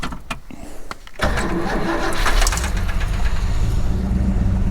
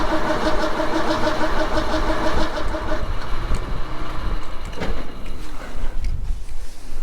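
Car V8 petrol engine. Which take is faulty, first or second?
second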